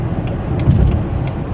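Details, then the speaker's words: Chrysler 300, 5.7L Hemi, 127,000 miles, driving after heads rebuilt for the valve-seat failure, fully warmed up after about 45 minutes running: smooth, even low rumble with good pickup, no knocks or ticks; runs better than ever; normal running. "sounds pretty good good pickup runs better than it ever has it's fully warmed up and running for about 45 minutes sounds real good"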